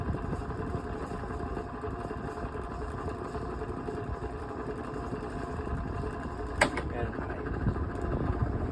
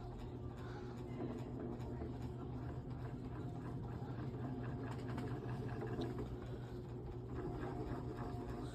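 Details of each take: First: Vintage Dayton 16-inch oscillating desk fan made by Lasko, on high speed, gives an even, steady rush of air over a low hum with no rattle. Medium rattles badly and low needs work; high is the only speed that works normally. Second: Vintage Dayton (Lasko-made) 16-inch brown oscillating desk fan on low speed with oscillation engaged: quiet low hum as the fan drags down, oscillation load slowing the motor until it stalls humming.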